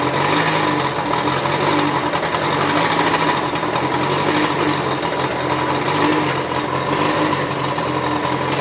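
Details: 2013 Kawasaki STX-15F jet ski idling on first start after fuel tank flush and rebuilt fuel pump, run without cooling water: light buzzy note, fairly even, no knocking; owner suspects idle air control valve may need relearning.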